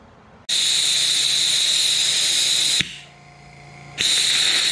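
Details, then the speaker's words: Micro hydrogen burner on stainless steel with heavy air injection during the shutdown sequence: steady high hiss with a sharp whistle, then a crisp audible pop as gas is shut off; mild flashback, not a hard detonation. "wasn't a real hard detonation like you would typically see but nonetheless there's an audible pop"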